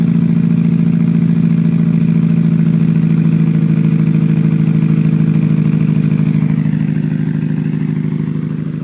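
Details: Mitsubishi Evo with bolt-ons, Walbro 255 pump and 1200cc injectors, cold start at 39°F: uneven stumbling lumpy idle, misfire on cylinder 1 (SES light); recurs on quick restart after short warm-up, fine after warm idle then 5-minute rest.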